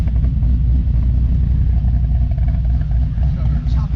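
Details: LS-swapped sedan idling to warm up on its first run after the swap, with no coolant leaks and the heater getting hot. Deep, rocking, lumpy idle rhythm with no knocks or squeals. A healthy cammed V8 idle.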